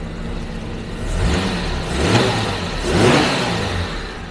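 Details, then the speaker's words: 1974 Jaguar XJ12 carbureted V12, after six years sitting, new plugs, cap and rotor, timing set at 10 degrees, before carb tuning, not fully warm: smooth even note, clean throttle blips, no misfire; idle slightly low, runs healthy. "idle's a bit too low but next thing we're gonna do is tackle the carbs but it runs a lot better than the house the whole time"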